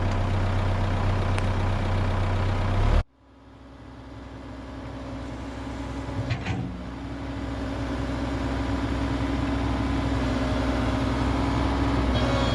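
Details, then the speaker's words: Komatsu PC130-6 excavator diesel after fuel tank replacement, refuel and hand-pump priming: settles from a brief stumble into a steady, even idle, a smooth low rumble with no misses or knocks; it is purring, running as it should. "It is purring. This is what it's supposed to sound like."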